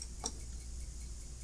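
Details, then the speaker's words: CyberPower 1285AVR UPS, plugged in and charged for an extended time, won't turn on properly: sharp regular ticking about five times a second over a quiet hum while it flashes; clicking caused by worn-out batteries in the battery pack, before replacement. "I have this cyber power-ups which has been acting up I'll show you what it's doing even when plugged in after charging for an extended time you try to turn it on it"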